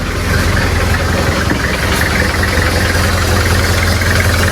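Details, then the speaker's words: Nissan project car at idle after valve clearance changed from tight to loose: loud steady idle with a faint, uneven light tick under the engine note; ticking reduced slightly but persists, cause not pinned down. "Okay, so guys, no, naririnig nyo ba yung ticking noise na sinasabi ko? So, pilit naming inaayos ni Sir Chuk to. Nag-adjust kami ng valve clearance from mahigpit to maluwag, hoping na mawala yung ingay na yan."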